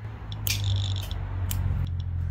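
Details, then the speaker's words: 1968 X-ray machine after trigger cable extension repair, tested at half-second exposure: low mains hum with a crisp buzzing burst of about half a second starting and stopping cleanly; exposure timer working normally. "that sounds like half a second I think the time is working"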